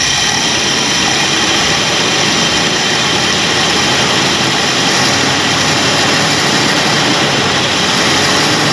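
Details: 1965 Ford Galaxie 500 project car, newly revived: a steady, even roar holds a constant speed with no misses, knocks or ticks. The engine runs smoothly.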